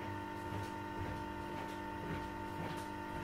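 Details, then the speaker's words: Reconditioned President Jackson CB radio after repairing muted USB band: steady even hiss and hum in receive with the earlier ticking on other bands gone; normal reception. "Infatti adesso sono in ascolto con quello e non si sente più il ticchettio."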